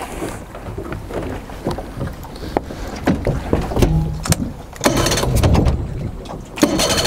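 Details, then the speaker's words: Four-stroke outboard with carburettor screws removed, leaving open ports that add extra air. It runs rough and uneven, sputtering and surging, lean from the vacuum leak. A leaking carburettor or inlet manifold gasket has the same effect. "like so hopefully that gives you an idea about how sort of catastrophic a vacuum leak can be"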